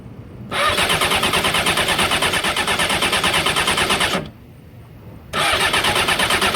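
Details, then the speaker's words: 2001 Honda F4i motorcycle that will not start, partly disassembled: fast, even starter cranking about three beats a second, stops, then cranks again; engine never catches and runs. Cranks but will not start. "all torn apart it still won't start I don't know why won't even jumpstart when I do this though it'll actually try to start but I don't know what exactly is wrong"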